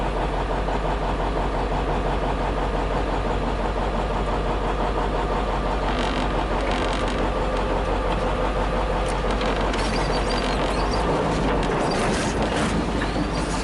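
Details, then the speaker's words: 1956 Studebaker Golden Hawk V8 on its first start after sitting: rough, slightly uneven loping idle, firing on all cylinders, no knocks. Smoke is PB Blaster on the exhaust manifolds. Owner thinks it needs running-in and plans compression tests and probably a valve check. "Anyway, I think she'll be okay. I just think it's going to take some running."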